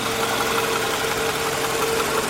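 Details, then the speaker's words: Toyota Camry ACV30/31 petrol, not on gas, after retightening a loose air filter housing bolt left by the mechanic. The air leak had caused a lean fuel-trim check engine code. Now a steady, even idle hum with no misses, hunting or hiss: normal idle. "แล้วช่างก็ขันน็อตไม่แน่นเกิดการรั่วในระบบไฟเช็คเอนจินก็เลยโชว์นี่ผมถอดขันน็อตเสร็จละรู้สึกจะหายแล้วนะเนี่ย"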